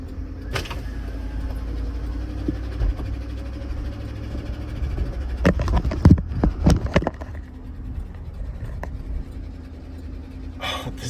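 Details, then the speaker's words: GMC Yukon XL 5.3L V8, just over 150,000 miles, driven 6 miles home: heavy low engine drone with uneven, severe rod knock under road rumble, worsening with lurching; no warning lights. "thing is knocking so bad. Oh, it's knocking real bad. She's knocking bad, boys."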